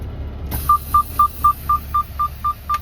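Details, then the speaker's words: Truck cab, parking brake set while sliding trailer tandems: steady mid-pitch beeps about four a second from the seatbelt reminder because the driver's belt is unfastened. "I don't have my seatbelt on. I should, that's why you hear the beeping, but I'm not gonna put my seatbelt on while I'm sliding these tandems."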